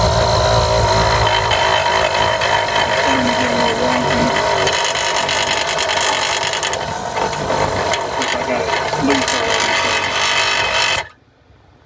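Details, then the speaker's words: Old Thomas 12 V air compressor on a 1998 Newell, before replacement with an ultra-quiet unit: loud, steady buzzing hum that runs evenly then cuts off abruptly; simply a noisy old compressor. "That's That's how loud it is. We'll get the new one in there and then let you hear."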